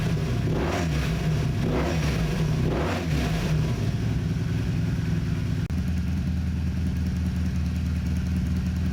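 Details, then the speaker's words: 1984 Honda Interceptor VF500F after rebuild following a blown engine: several sharp clean rev blips then steady deep idle around 900–1,000 rpm, instant throttle response, almost no valve noise; small water pump gasket drip noted. Normal revving response. "And the throttle response is instant. Hopefully the camera can pick up the audio good, but this sounds nasty."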